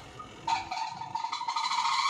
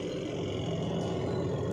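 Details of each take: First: Semi-automatic washing machine during spin: loud rising whine with steady high squealing note that builds and fades; noise from dry, ungreased spin motor bush. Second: Semi-automatic washing machine spinner after repair of noisy spin: steady low hum with even whirr, no rubbing, scraping or knocking; spinner now runs smoothly and quietly.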